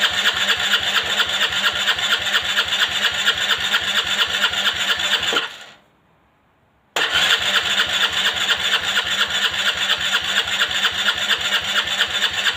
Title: Long time no start; Aprilia Leonardo 125